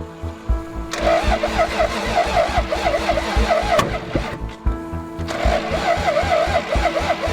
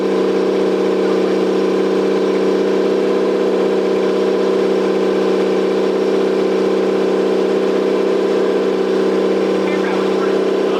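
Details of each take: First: Toyota 7M-GTE straight-six (MA70 build) on first start attempts after a four-month rebuild; spark confirmed, cold start injector missing. Steady cranking pulses catch briefly then die: crank-no-start. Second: Toyota 7M-GTE straight-six (MA70 build) after a four-month rebuild and timing fix, running with no exhaust fitted and intercooler bypassed. Loud raw steady open-pipe drone holding even speed with no misses; engine running cleanly.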